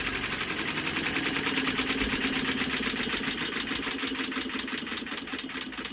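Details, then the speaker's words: Rebuilt WW2 generator-set JAP 2A engine, crank spun steadily with a drill while checking spark: steady rhythmic whirr about three turns a second, no rumble or grinding; healthy bearings. "And don't that sound better? We've got no horrible bearing"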